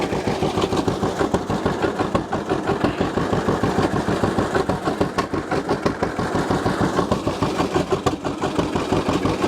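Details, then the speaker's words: 1950 John Deere GW two-cylinder tractor idling just after starting, run with choke pulled out slightly; slow, uneven, loping putt. Rough idle; owner suspects clogged carburetor idle passages needing cleaning, unconfirmed. "now i adjusted my choke a little bit because my carburetor needs cleaned the idle passages might be slightly clogged so i run line with the choke out just a little bit"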